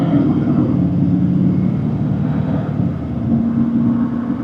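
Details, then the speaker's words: 2006 GMC Sierra 2500 LBZ Duramax diesel with Allison transmission, 470,000 miles, low power until turbo kicks in (P003A); after turbo vane position sensor replaced, sensor matches 80% desired in active test; deep steady diesel roar with faint rising whistle under load, normal turbo boost. "we're definitely moving the way we need to be moving so the turbo is now moving as you guys can see"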